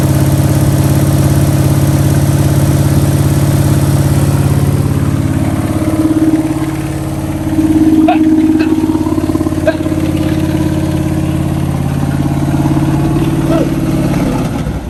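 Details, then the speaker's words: 1971 Pontiac Ventura Sprint V8, fuel poured into carb bowl via vent tube: catches and runs fairly steadily about fifteen seconds, then sags and quits as the bowl runs dry — fuel starvation stall. "and she ran out of fuel in the bowl"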